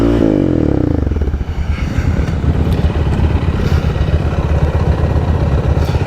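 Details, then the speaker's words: Yamaha Raptor quad riding AOAA trails under load: irregular metallic clanking the whole way as the drive chain popped and sheared teeth on both sprockets, traced later to a blown rear carrier. "I think the chain popped. You gotta be kidding me. It was clanking the whole way. It was clanking the whole time."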